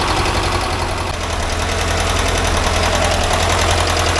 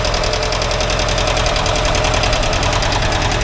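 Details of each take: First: 1982 air-cooled VW Vanagon Westfalia engine after valve adjustment, warm idle once oil and ignition lights went out: light, quick tapping about two and a half per second; normal valve noise, one side noisier than the other. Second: 1982 air-cooled VW Vanagon Westfalia engine at warm idle during a tune-up: fast, light tickety-tack valve-train ticking, about three per second, one side noisier; owner calls it normal, later adjusts valves, clattering much reduced.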